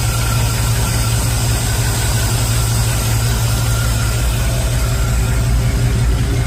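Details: Chevy after a remote solenoid fix for a starter that wouldn't stop cranking, battery a bit flat: the engine catches and settles into a steady, even low idle with no starter grinding or whirring hanging on; starter drops out, running normally.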